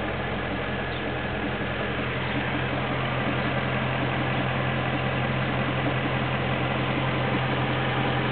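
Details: 2008 BMW M3 at idle: faint, fairly even ticking knock about 160 per minute under the rumble; dealer says normal, owner doubts it; cause unknown.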